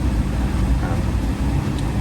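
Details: 1L EcoBoost Fiesta three-cylinder wet-belt car that came in with oil light staying on, after repair: steady, smooth low idle with no knocks or ticks, oil light out, no pressure issues, healthy.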